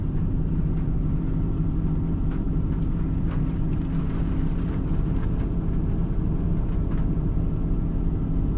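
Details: Nissan Titan V8, warm idle: a lumpy, uneven low rumble with irregular stumbles from multiple misfires; it is running rich with the MAF reading high, cause still unknown.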